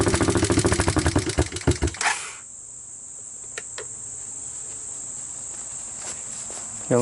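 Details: 1988 Honda TRX200SX cold first start after new PZ27 carburetor, harness bypassed, dry compression about 100, choke on: fast regular popping as it fires for about two seconds, then settles to a quiet low idle.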